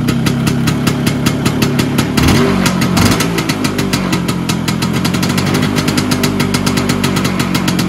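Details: Vespa PX 125 with 177 kit, restored engine (new bearings, seals, piston, rings, lapped cylinder), 2.5% premix, first start after a year: crisp even two-stroke idle with a brief throttle blip, steady running; owner says idle needs adjusting; normal idle.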